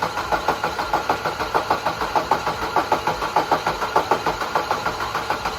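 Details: Peugeot 1.6 HDi diesel started after fuel pipe repair and EGR pipe cleaning, no warning lights: even idle with a steady pulse of about five beats a second and no knock or misfire; runs normally.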